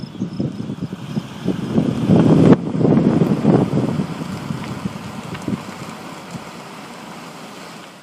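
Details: 2013 Ford Explorer, about 20,000 miles, on a test drive after a thrust washer repair for a left-front clicking on right turns. Now there is only low road rumble and wind while turning, with no clicking.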